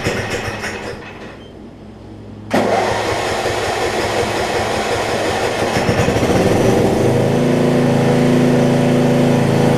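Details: Murray rear-engine riding mower (RER), after an earlier valve-grind repair. Brief crank, catches at once and settles into a steady, even idle with no misses or knocks, a normal start and idle. Runs well once warmed up.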